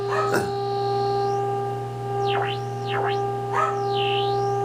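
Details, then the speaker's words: 1931 Airline 62-14 radio, IF transformers cleaned and adjusted, signal generator at 175 injected: clean steady tone with whistles swooping as the signal is swept; IF stage passes signal well, though the set still won't receive stations. "it works great on the if look at here hear that isn't that great"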